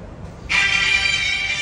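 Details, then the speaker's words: Samsung A10s loudspeaker after repair; its hoarse, raspy audio began after another shop fitted a non-original charging connector board lacking components. The ringtone now plays clean, bright and steady with no rasp or distortion, so the audio problem is resolved. "resolveu tá vendo ó aí ó aí ó acabou o problema do áudio resolvido tá gente"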